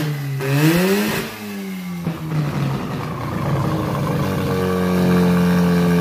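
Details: Freshly rebuilt rotary engine for a Ford Ranger swap, first test run on the old carburetor, smoking two-stroke oil. It revs up sharply, drops back, then settles into a steady, even run, so the engine runs okay but still needs tuning.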